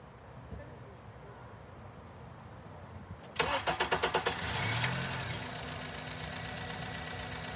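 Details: Honda with no intake cam signal and the exhaust cam sensor disconnected: quiet background, then steady starter cranking at about three pulses a second with no firing; extended crank, no start.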